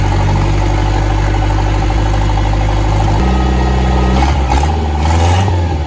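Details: Boat outboard on flushing water, first start since last fall after winterizing: catches and settles into a low, fairly steady idle with a slight shift partway; healthy normal idle.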